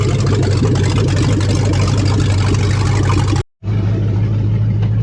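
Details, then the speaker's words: 1970 Dodge Charger 383 V8, 4-speed, barn-find revival, warming up during radiator flush: deep, loud, steady rumble with even beat, no stumbles or knocks; purrs at normal idle. "Man, this thing's not half bad. It sits there and purrs."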